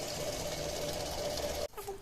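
Even, buzzy pump hum with a faint steady whine, then it cuts off cleanly; no rattle or grinding, so the pump sounds healthy.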